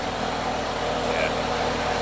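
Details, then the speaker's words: Mk1 Ford Capri with a newly built 2.0 Pinto engine after a restart, timing judged spot on: a smooth, even idle with a steady low hum and no knocks, misses or ticks. Healthy and settled. "yeah, there we go. One newly built Pinto running sweet as a nut."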